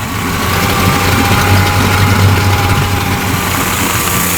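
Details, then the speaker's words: Yamaha 40 hp two-stroke oil-injected outboard, after a carburetor cleaning; it started on the first pull and smokes as the two-cycle oil burns off. Steady, even burble with no misses, knocks or surging. Normal idle. "the letter run here for a bit sounds really good though if p.m. good"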